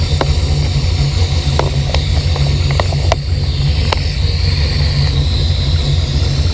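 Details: V8 with Holley Sniper EFI, fuel pressure 50-58: heavy, lumpy idle with uneven, wavering beat and pops; sudden crazy AFR readings, hesitation and stalling after months of running great, cause not yet found.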